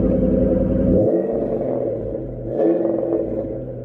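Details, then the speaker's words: Cheap auction Ford Mustang with V8 and manual transmission: throaty rev drops back smoothly and picks up again without clatter or stumble; normal revving, healthy engine. "Ya, saya tumbuh besar menyukai Fox Body dan mesin Ford 5 liter. Menurut saya, suaranya salah satu yang terbaik. Mesin 46 ini suaranya bagus."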